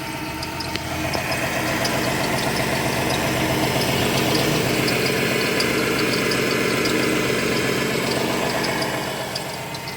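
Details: 2017 Ford Transit: even idle with a faint, regular high chirp about four times a second. Four mechanics could not find the source of the squeak.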